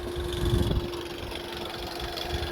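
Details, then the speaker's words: 2011 VW Touran twin-charged TSI petrol with engine light on, idling: loose, uneven low rattle at startup and while driving; mechanic suspects the timing chain, not yet confirmed. "got a bit of a rattle here we did kind of pre-diagnose it and you know what let's try and see what's wrong here take it from there yeah sounds like a timing chain"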